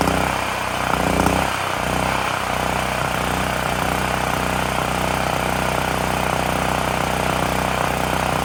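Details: Extreme Contractor Series 6,500 W (8,500 W surge) gas generator bought almost 20 years ago, revived after long storage; after tightening a bolt that cut vibration, steady busy buzz with no hunting, misses or surging. Normal running.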